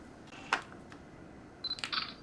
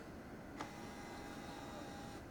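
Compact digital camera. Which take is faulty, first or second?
second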